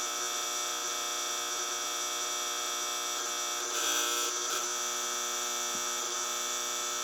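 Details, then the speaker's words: 1964 General Electric 175 W mercury vapor NEMA street light head with a newer Sylvania 175 W bulb, just switched on: loud, constant high-pitched ballast buzz over a steady hum, owner's loudest fixture; cause not yet known. "Um, now, like I said, this fixture is loud. It buzzes really loud. I think this is probably the loudest one that I have now."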